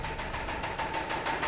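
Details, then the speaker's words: Engine at idle, no dash warning lights, Lucas oil added with no change: hard even knock about six times a second; suspected big-end rod bearings, possibly lifters, before removing the oil pan. "So I'm assuming it's either the lifters or maybe very end bearings. But probably the very end bearings are the most common problem on this noise."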